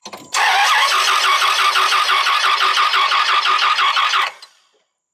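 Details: Dodge Ram 2500 V10 no-start, cranking while testing reinstalled camshaft sensor with a tester: starter spins engine at an even three beats a second for about four seconds, never fires; crank sensor later found failed.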